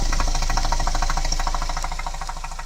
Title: Motorgeräusche - Citroen C4 Picasso I 1.6V Turbo THP 150 Jg. 2010 5F04 (EP6DT)